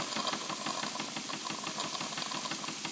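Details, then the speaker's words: Wilesco D20 toy steam engine reactivated after years idle: loud continuous fluttering hiss over quiet engine as boiler safety valve lifts near 1.6 bar, venting pressure as designed. "Safety valve has lifted and it is venting boiler pressure as it should. So that's perfect."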